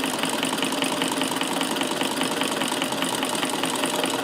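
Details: Davis Vertical Feed sewing machine electrified with motor on a dimmer, after bobbin mechanism adjustment: quiet, even whir with steady light clatter about two and a half beats a second; stitching smoothly with perfect stitches.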